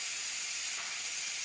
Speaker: We're going to go ahead and open that up. All the steam's coming out of it.